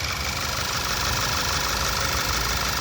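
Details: Skoda Superb petrol engine, after cleaning the plug wells of oil leaking past tappet-cover seals that had caused a cylinder 1 misfire (P0301): steady, even idle hum with a smooth hiss, no stumble or skip, running cleanly.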